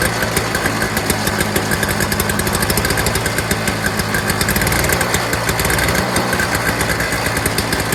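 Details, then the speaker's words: Early-2000s Toro Snow Commander 7 hp 2-stroke single-stage snowblower after fuel system fix: fast, crisp firing holds a steady even beat; smoke cleared after running a while; normal running. "so after running for a little while smoke is cleared out it's no longer smoking as much"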